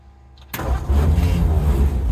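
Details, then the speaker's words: 1951 Ford F1 with rebuilt engine: brief crank, then it catches promptly and settles into a strong, even low rumble; clean, healthy start. "Cranking right up. All right, I think we're back in business."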